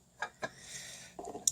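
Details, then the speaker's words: Dodge RAM seat belt locking sensor, removed and opened, held upside down: short bursts of light metallic ticking as its silver ball bearing rattles loose in its seat. This is normal; the ball moves when the vehicle pitches or rolls. "You can see there, there's a ball. You can hear it rattle around in"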